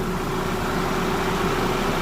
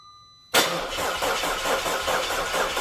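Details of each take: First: Audi A4 2.0 turbo after major repairs, first run: steady smooth idle with no knocks or misses under a loud rushing roar of radiator fans running hard because of the coolant. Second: Audi A4 2.0L turbo on its first start after major repairs, with no coolant in it: the starter cranks about three seconds, the engine catches and runs briefly, then the ECU shuts it off because it detects low coolant.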